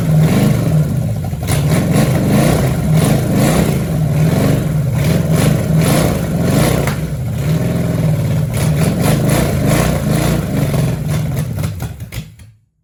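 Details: 1966 Chevelle small-block V8, first start after sitting: a loping, stumbling beat with dropped firing pulses, not firing on all cylinders; three plug wires were on wrong, timing only eyeballed, and a broken carburetor bolt may leak air.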